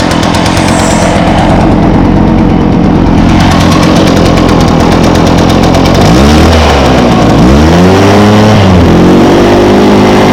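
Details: 2014 Echo PB500T backpack blower (50.8 cc two-stroke, built August 2014, used the week before), started with choke and primes: catches and revs up and down cleanly, strong even buzz following throttle; healthy, running well.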